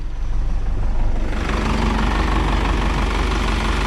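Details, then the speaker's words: Isuzu NPR diesel, first start after sitting for years, new fuel filter primed and bled, fuel leak fixed: steady, even idle with a regular low chug, no misses or knocks, no warning lights. "She's running, guys. That was actually really easy after we fixed that leak. Sounds good. That actually sounds really good."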